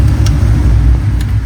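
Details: Cadillac CTS-V drift car, after the exhaust was fixed: a deep, even V8 rumble rising and settling on a short rev, no popping or ticking; a leak or two may remain underneath. Normal exhaust note when revving.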